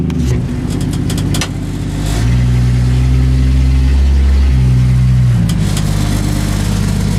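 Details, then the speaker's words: 1965 Ford Mustang restomod pulling away and cruising after a driveshaft noise fix: engine rises and falls smoothly with no clunk, vibration or whine from underneath. The driveshaft noise is gone. "that definitely fixed the noise. It is gone."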